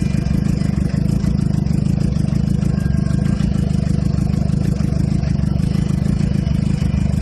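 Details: 2007 Suzuki GSX-R (K6) motorcycle started cold after sitting, low uneven chugging idle that hunts and won't settle or rise to normal speed; exhaust smells very rich, a shop found no fault; unstable cold idle, cause unclear.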